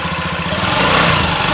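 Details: Honda Ruckus after a carburetor tune-up with cleaned bores and throttle slide: the small single-cylinder pulses evenly, then picks up into a smooth, steady run, with the fuel pump audible. Normal, healthy running.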